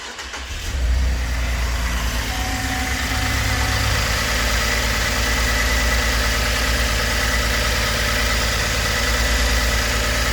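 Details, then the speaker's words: 2012 Holden Commodore VE V6 with P0300 misfire and a cylinder 2 coil circuit malfunction code: quick crank, then a lumpy, stumbling idle. Coil pack suspected; oil found around cylinder plug. "hold on commodore VE V6 misfire එකක් කියලා තමයි ආවේ බලමු මොකක්ද කියලා"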